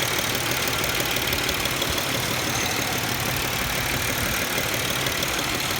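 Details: 2007 Pontiac Grand Prix silent when cold but knocking once warmed up: warm idle with loose tapping about twice a second under a hissy background; cause of the knock unknown.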